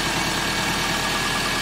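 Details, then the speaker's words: 2003 Subaru Legacy wagon, EJ25 2.5-litre, steady even idle with no knocks, misses or ticks; engine runs smoothly despite slow coolant loss and overheating suspected from a head gasket leak into a cylinder. "well again youtube today we've got a 2003 subaru legacy wagon it's our ej 25 2.5 liter as you can hear it runs great"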